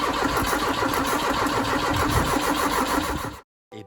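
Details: Ford Capri 2.0 cranking after an inlet manifold refit, with a multimeter on the coil. Steady starter churn at about three compressions a second, with no firing or catch before it stops: cranks but will not start.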